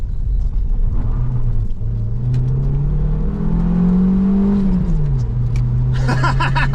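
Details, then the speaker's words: Vauxhall Cavalier Diplomat 2.0i after severe power loss on a 660-mile run, revved in a lay-by until a crack and black smoke blew exhaust debris out: note climbs smoothly and eases back without stumbling or popping; now pulls freely. "And then it ejected quite a lot of stuff out the back. And now it is very happy."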